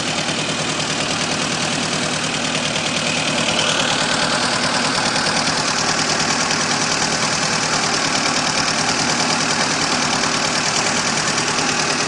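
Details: VAZ 2109 engine idling: a fast, fairly regular light knock about three per second over the tick and hum, with vibration; source not pinned down.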